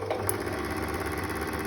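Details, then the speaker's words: Singer sewing machine winding a bobbin: steady motor hum with fast fluttering "fırt fırt" pulse from the bobbin winder's rubber tire, worn from holding the thread incorrectly while winding. "Buranın lastiği bozulmaya başlamış. Evet, Fırt fırt öyle. ses yapıyor."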